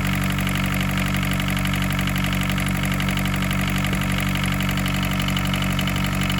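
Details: 1981 Isuzu Pup diesel C223, warming up after sitting 4 hours, hard start: steady low idle clatter, about three knocks a second, slightly uneven; air bubbles seen between fuel filter and injection pump, owner unsure if that is the cause.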